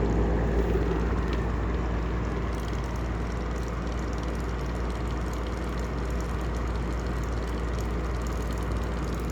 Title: Heller style 2 exhaust fan with bad bearings